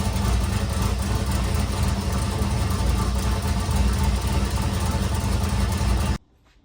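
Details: Nissan S13 build after upgrades, alternator working and power steering pulley squeak fixed; even steady idle for six seconds, no belt squeal or misfire, then switched off; normal idle.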